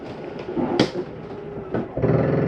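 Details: 2021 Shadow Cruiser 283RKS travel trailer slide-out retracting from the control panel: steady motor drone rising into a firm clunk and louder strain as the room hits its stop; fully retracted, working normally.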